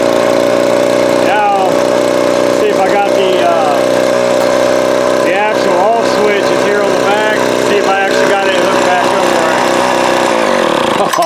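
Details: Vintage Craftsman 22.2cc 14-inch two-stroke string trimmer, estimated early-to-mid 1980s, original spark plug and fuel filter, fuel line replaced and carb cleaned; even high-pitched drone steady about eleven seconds before shutoff; running smoothly.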